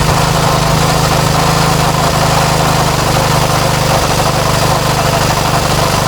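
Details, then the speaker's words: Craftsman tiller with Tecumseh Eager-1 engine after repair, during low speed adjustment: single cylinder holds a steady even beat with no misses or surging, sounds pretty good; high speed still seems a little high, normal running. "that actually sounds pretty good"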